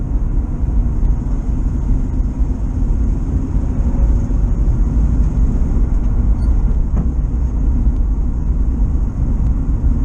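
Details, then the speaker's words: 1973 VW T2 camper under light acceleration after carburettor removed and blocked jets cleared for fuel starvation: steady even low engine drone, no stumble or misfire, pulling and sounding better than the earlier misfire-like running. "Well, it's definitely pulling better, and it's sounding better."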